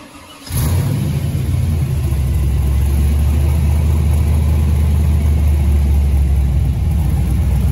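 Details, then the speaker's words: Pro-touring Camaro LS swap, an LS1 with LS6 intake, Holley Terminator X and 228/232 cam, warm at about 160°: it fires up and settles into a deep, choppy, loping idle that runs clean and even. "this isn't really a cold start but uh temperatures up to about let's see here 160 some and this is just a uh 232 no 228 232 cam in this one"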